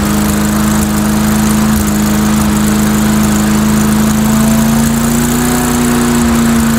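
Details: Mastercraft 3-in-1 mower with a replacement engine, old unit, RPM increased a little on test run: steady fairly high buzzing drone, even pitch, no misses or knocks; running fine, owner suspects carburetor maybe running rich.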